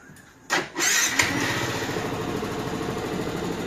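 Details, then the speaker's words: X-Max scooter after excessive play in a rocker/cam roller in the head and a failed water pump were found: starter whirr, then a clean steady idle with no ticking or rattle; it sounds better. "Mieux, non? Le bruit d'un X-Max."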